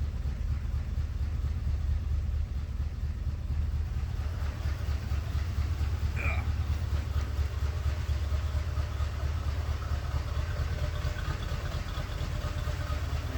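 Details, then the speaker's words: 1988 or 1989 Corvette C4 (owner unsure), fuel injected, first start after sitting over winter, hotwired after correcting reversed power and ground: heavy, uneven low chug with a loping beat about twice a second; runs rough with a misfire, cause not yet found. "Okay, it's kind of running. It has a misfire to it."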